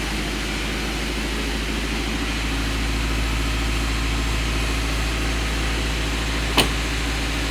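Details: Rebuilt Honda CR-V at idle with front wheels off the ground, power steering belt just fitted and fluid refilled after running low: steady, even idle with no pump whine or groan; normal.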